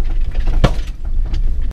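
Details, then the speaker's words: Subaru Crosstrek off-road on 215/75/15 BFG KO2 tires, camera outside window: single sharp pop over low driving rumble as the sway bar bushing breaks free of the frame, followed by rattle as it swings loose. "all right so listen to this and this to me sounds like the bushing coming free"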